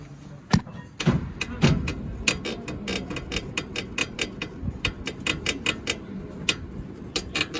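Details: 2012-13 Honda City: dry, crackling creaks repeat as the front suspension is pushed down by hand, traced to a worn ball joint; bushings already replaced.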